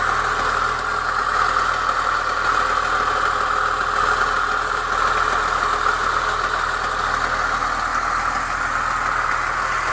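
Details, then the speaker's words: Chevrolet Niva petrol engine cold start: fast metallic rattle up top near cylinder one until about 60°C, then gone; caused by new timing chain tensioner, old tensioner refitted with modified spring. "Он новый, то есть при момент вот когда машину заводишь, градусов до 60 грохотал, в общем, в районе, да, вот где-то от первого цилиндра."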